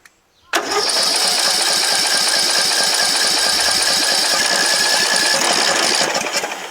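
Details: Rebuilt garden tractor with newly installed engine, magneto and carburetor: starter spins hard and steady for about six seconds but the engine never fires, fuel pouring from the exhaust; no-start, carburetor suspected, possibly a missing jet.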